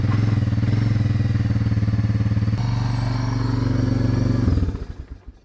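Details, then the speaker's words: Honda TRX300 single-cylinder quad after cleaning gunk from the blocked carburetor main jet: runs steady with even pulses, no popping, then switched off and winds down; previously ran rough, better on choke. "oh well that was a pretty easy fix just a bit of gunk in the uh in the main jet there"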